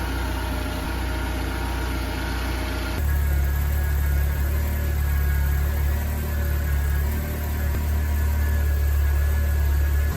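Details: BMW 318i E36, M43 B18 engine, first start after head gasket replacement; steady, even low idle with smooth hum, no knocks or misses; normal idle, later not overheating and heater blowing hot.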